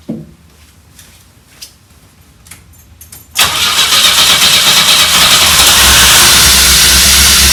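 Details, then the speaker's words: 1984 Pontiac Fiero first start in over 30 years: quiet clicks, then engine catches abruptly and roars on a rough, uneven rev, running only while fuel is squirted in by hand; injector not working, fuel pump or relay suspected. "thing is running we just got to figure out how to keep it running and uh it's probably fuel pump or something"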